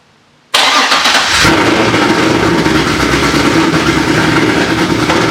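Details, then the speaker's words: Corvette C6 Z06 V8 first start after RPM B3 cam and McLeod RXT twin-disc clutch install, ported heads, long-tube headers, straight-pipe axle-back, E85 tune: catches quickly, strong even idle, no ticking; sounds good, air-fuel close. "b3 cam install along with the rxdr twin disc clutch and it sounds it sounds good"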